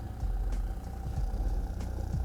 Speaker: Моща чистая у нас на практически 90 ваттах. Вот клип мы и слышим, и на осциллограмме видим уже ближе к 100 ваттам.